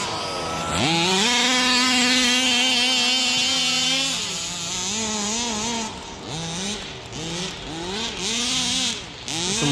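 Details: Rovan Baja 5B 1/5-scale RC two-stroke, after revival from neglect: sharp buzz that climbs and holds high, then blips cleanly up and down with throttle; idle good, running healthy.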